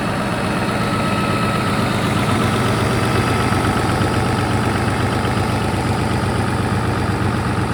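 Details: Caterpillar 3412 V12 diesel that had sat for years, generator output being checked: loud, steady diesel clatter at an even idle of a few beats per second, with no knocks or misses. Normal idle.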